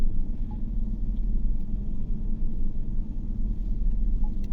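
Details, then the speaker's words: GMC Yukon V8 at idle with blinking check-engine light, P0300 and P124D codes; cylinder 6 misfiring (injector or wiring suspected), RPM fluctuating and engine vibrating; deep idle rumble that lurches and wavers unevenly. "इसमें मिसिंग है इसलिए वो cluster metre में तो RPM up down हो रहे हैं, इंजन भी वाइब्रेट कर रहा है"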